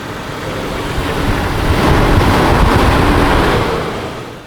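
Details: Jeep after spark plugs gapped to 0.035 in, previously misfiring; engine cranks, swells up and settles into an even, steady idle with no stumble or skip. Spark and firing lines now look good; normal idle.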